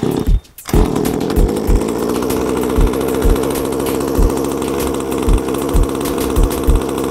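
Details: Exceed RC 1/5 scale gas Barca/Hannibal two-stroke at factory needle settings, just started and warming up: steady buzz after a brief gap with occasional throttle blips about every second; normal running, sounds healthy.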